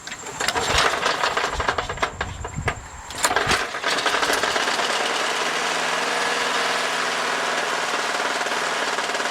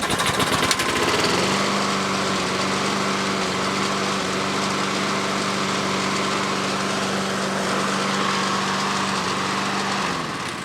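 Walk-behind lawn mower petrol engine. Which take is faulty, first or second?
first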